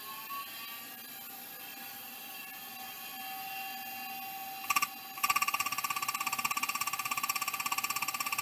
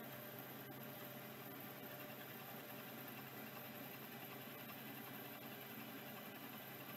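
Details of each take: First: Vintage hard drive (possibly a KL320) powered up: faint whirring settles, then sharp even clicking about three per second for five seconds; drive sounds like it's failing, judged not good. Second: Late-model Singapore-made 6426S vintage hard drive: quiet steady spindle whir with a few faint light ticks, no grinding or squeal; appears to be working, spinning smoothly.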